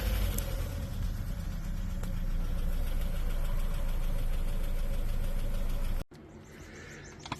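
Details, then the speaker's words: Chevy Cruze 1.4 with P0324 knock sensor code at idle: sharp tick about four per second mimicking collapsed lifter or rod knock; cause was loose bolts on timing chain tensioner guide. "it sounds like you got a collapse lifter or nog rock or something and your cruise 1.4 usually it's these bolts to the tensioner guide right here"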